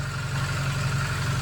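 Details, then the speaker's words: 1993 Saab 900 revived after sitting, smoking, owner suspects sticky lifters: low uneven wavering idle, barely idling on its own, short rising whoosh at end; owner suspects junk gas in lines and injectors. "okay so i got it to essentially idle on its own for a bit oh check engine light went off awesome i figured our problem is probably just junk gas stuck in the lines and injectors"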